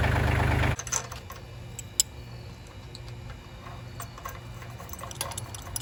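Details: Kubota L3000DT diesel tractor after a replacement used engine was installed and serviced: even low thrum at idle with light regular ticking, no knocks or misses; normal, clean-running idle.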